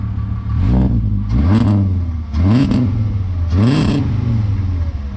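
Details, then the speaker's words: "Savoy" after repairs so nothing melts again: three clean throttle blips about a second apart, revs climb and fall smoothly with deep even note; runs perfectly, sounds like an R32. "so the good news is the car runs perfectly, starts no problem, drives and sounds great. It sounds like an R32."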